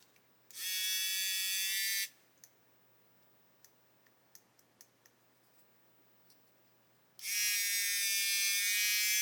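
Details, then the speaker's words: Hachette Avro Lancaster model small motor on the test power pack, pushed slightly off centre: thin high whine spins up about 1.5 seconds then cuts out, binding: motor stalling from binding shaft. "Here we go. Look, if I push the motor slightly off centre, you can hear something starting to bind."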